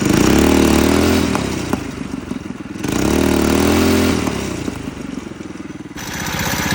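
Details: Coleman CC100X mini bike, brand new 212cc Hemi engine with governor and oil sensor removed, torque converter installed: loud single-cylinder thump rising and falling with throttle blips, even firing, no knock or miss. Normal running.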